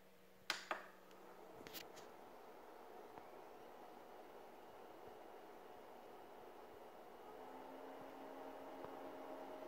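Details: Brand new Fengmi 4K projector: faint steady hum with a thin high coil whine over a quiet room, constant throughout, very noticeable with no content playing.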